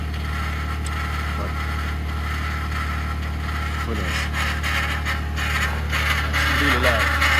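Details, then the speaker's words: 2021 Ford F150 PowerBoost, remote cold start at -16°C, parked: loud steady low drone with gritty grinding edge and rising whirs over idle; occurs only at about -11°C and below, dealer unable to identify cause. "I'm trying to record this because it's something that Ford cannot figure out or wouldn't be bothered to figure it out. And it only happens when it's about minus 11."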